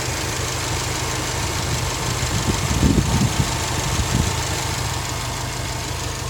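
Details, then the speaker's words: 2018 Subaru WRX STI idling with known boost/PCV vacuum hose pop-off concern: steady turbo idle sits a little high with fan whoosh underneath, as the cooling fan has just switched on and raised the idle; normal. "the idle speeds come up because the fan just came on I wait for it to turn off now"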